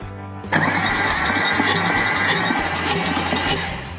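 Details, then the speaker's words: Salvage Audi S6, new starter, cold compression test (engine can't be run hot); one cylinder rises to about 50-60 psi then stops. Uneven, lopsided chugging cranking, one cylinder clearly weak; low compression. "Whoa, what have we got going here? That's not looking so good. Make sure we got that one seated in there. That went up to 50 really nice and then just quit, or actually it was about 60."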